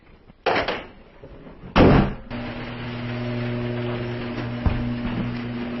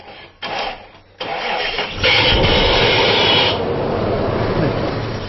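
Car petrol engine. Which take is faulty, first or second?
second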